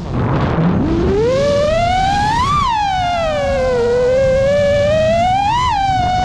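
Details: New-frame quad with new Xing 2207 2450kv motors, 5x4 V1S props, 4S 1500 battery, Bardwell F4 V1 FC, Spedix 30A BLHeli32 ESCs, Betaflight 4.1 with RPM filtering: motor whine sweeps with throttle over a constant rough buzz; motor oscillation persists in flight, cause unknown.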